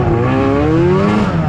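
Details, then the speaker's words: 2005 Arctic Cat Firecat F6 two-stroke snowmobile, old sled getting overdue work: revs climb slowly and sound loaded down, never pulling free, engine bogging because the primary clutch is sticking; no brakes, sled keeps moving off throttle. "so as you guys can hear it's bogging like that because the clutch is sticking right"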